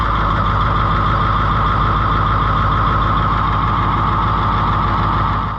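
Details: Oliver 2255 tractor diesel just started after service, oil at full mark and oil pressure climbing, filters filling: steady low rumble with even beat at idle, no knocks or hesitation, no leaks; engine sounds healthy.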